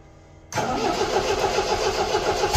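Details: 1975 MGB running off a five-gallon gas can: cranks, catches, settles into lumpy, stumbling idle; owner suspects wrong firing order or distributor cap on backwards; misfire.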